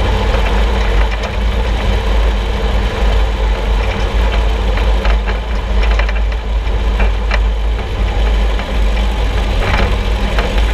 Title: Suspension Noise 6Nov16 [loud]